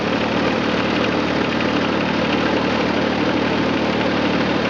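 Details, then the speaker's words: John Deere 455 lawn tractor with 3-point and rear 540 PTO, about 2,231 hours, engine said to run great (steering broken from detached hydraulic line): even, steady low engine beat, no misses or knocks; idles smoothly. "Does run great. We'll crank it up real quick. Let it go through all of its cycles."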